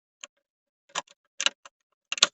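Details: 2005 Opel Vectra C, under airbag area of dash, while removing panel: sharp plastic clicks in irregular bursts, about four in under three seconds; HVAC flap actuator clicking, suspected stripped gear.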